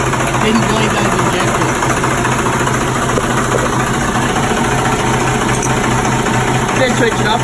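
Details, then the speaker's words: Marine 6BT Cummins diesel on a boat with low compression, run after fitting a new injector tip as a temporary fix: even low thrum at steady idle, no misses or knocks; runs smoothly. "so we'll rip this in and we'll fire it up and run it up and make sure it all runs good"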